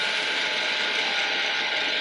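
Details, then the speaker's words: Toyota/Lexus electronic parking brake during the official retract procedure for rear brake service: key on, foot on the brake, engine off, engage and release three times, then hold release. A steady, even gear-motor whine as the actuator winds back normally. "It's gonna take a little bit of time until you hear that motor whine."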